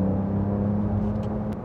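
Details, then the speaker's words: Porsche 992 Carrera T, 3.0-litre twin-turbo, 380 hp, Sport Plus mode. At high revs a thin, electric-motor-like whine rides over the engine note. Source is unclear; possibly the turbos. "It sounds like there's a whine. Not from the, maybe it is from the turbo. I'm not really sure. When it's really high revving, it's kind of like an electric motor whine or something."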